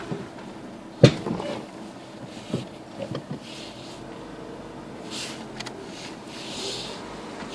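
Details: Renault Megane Mk2: a single sharp clunk when braking in reverse, then only faint small noises; source not identified.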